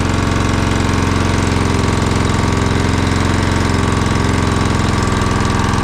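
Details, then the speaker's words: Honda GX120-powered air compressor that had no compression, first run, indoors: fast steady thumping with some unevenness; owner thinks there is much gas and oil in the exhaust. "We need to get this thing outside, though, because there's so much gas and oil in the exhaust, I think, is what's happening."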